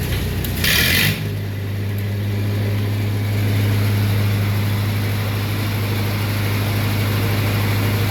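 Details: Lincoln SA-200 welder engine start-up after carburetor kit rebuild: cranks and catches within a second, settles to steady low hum with even beat, no stumbling; runs healthy.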